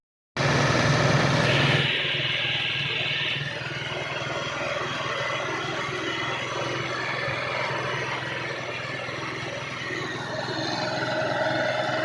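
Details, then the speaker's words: Honda TMX single-cylinder motorcycle idling after choke start, hard to start and stalling: loud clatter with knocking and ticking about four per second over the exhaust; engine to be torn down, cause not yet pinned down. "Issue nito guys maingay yung makina makaldag ah may kalampag malagitik tapos hard starting siya."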